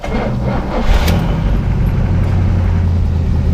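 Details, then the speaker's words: 1970 Buick GS with Buick 350, two-barrel intake swapped for four-barrel intake and carburetor, new alternator, in neutral; fires right up and settles into smooth, even, deep idle, no knocks or misses, much healthier than before. "so fires right up under neutral as you can hear she sounds a whole lot healthier yeah for some of that 70s muscle sound going to her now runs a lot smoother up here"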